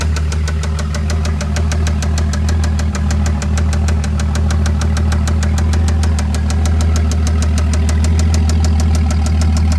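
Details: Toyota 7M-GTE six-cylinder idling with a steady light tick about three a second over a deep even hum; absent at first start, comes and goes randomly; owner doubts rod knock, cause unknown.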